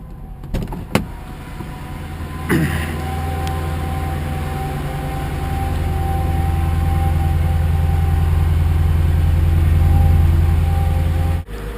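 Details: Mercedes AMG started cold after 6–8 months of winter storage on a battery maintainer, with the ignition cycled first. Brief cranking catches quickly, the revs flare, then it settles into a smooth, even idle with no misses or ticks.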